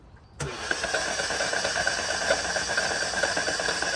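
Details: Flooded car after crossing a ford, cranked with plugs out to expel water from cylinders 1 and 2 (most in cylinder 2), air filter soaked: even, uninterrupted starter spin with no compression beats; water in cylinders (hydrolock).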